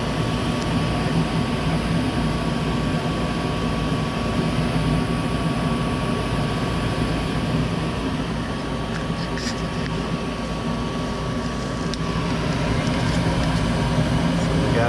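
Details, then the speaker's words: Goodman gas furnace that would not heat (AC worked), after replacing a bad gas valve that wasn't opening: burner lit and running with a steady, even roar, faint constant tone, no popping or surging, flames look good. Normal burner operation. "got lift off. All right, so that's what it was. Bad gas valve wasn't opening up."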